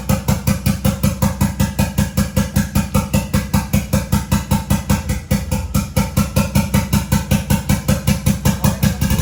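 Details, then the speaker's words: 1993 Toyota MR2 with a 3SGTE Gen5 four-cylinder build, freshly started for the first time: steady, even pulsing idle with no knock or clatter. It sounds healthy despite a check engine light and a little smoke, thought to be paint. "But we can just keep moving with this project and we know the engine works. And it sounds healthy, really healthy."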